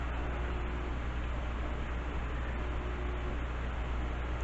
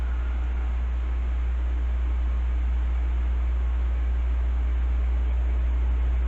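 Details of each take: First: Heathkit SB-1000 amplifier powered up with high voltage on, without a variac because of the power relay: a steady, deep, loud hum holds throughout, with high voltage present and grid current normal; buzz source not yet found. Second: Heathkit SB-1000 amplifier powered up via variac, tube removed, fuses and switch bypassed: constant deep hum with smooth, even fan rush, no rubbing or rattle; cooling fan running normally.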